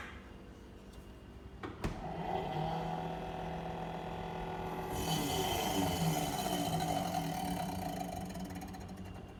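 A loud steady droning hum with a buzzy edge that swells midway through; the fridge compressor is running noisier than it should. Cause suspected, not confirmed.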